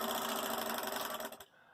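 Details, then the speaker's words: Bell & Howell 1585 16mm projector: fast, even machine-gun clatter from the film path for over a second, then it drops away; it seems to be tearing up the film and won't disengage. "seems like it's just tearing up the film. What did I do? It won't disengage."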